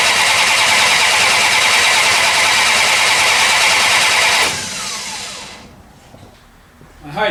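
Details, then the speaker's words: 1968 Plymouth Barracuda with an ATK crate motor and new ACES EFI distributor, torque starter cranking at about 220 rpm before first fire, fast even whir with no drag or hesitation; normal starter cranking. "torque starter sounds like it's rolling it over nice and clean"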